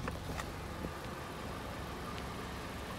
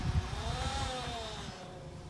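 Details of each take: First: 2013 Jeep Patriot with JF011E CVT, running after fluid change and both filters replaced: only a quiet even engine idle, no transmission whine; CVT whine fixed. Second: 2013 Jeep Patriot with JF011E CVT, low miles, reportedly slipping: loud steady tonal whine over the engine, rising slightly then easing, before a fluid and filter service fixed it.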